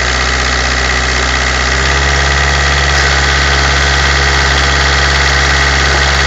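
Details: Citroen BX petrol engine, cold, about 30 seconds after startup, idling with an uneven, pulsing beat; suspected head gasket failure turned out to be a cracked cylinder head.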